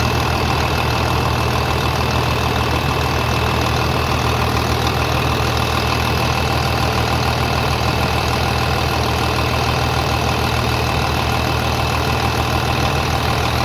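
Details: 3588 at 7,338 hours, idling on a freshly rebuilt engine with new cylinders and pistons; steady, even clatter at a settled idle with no knocks or misses, smooth and quiet; normal diesel idle.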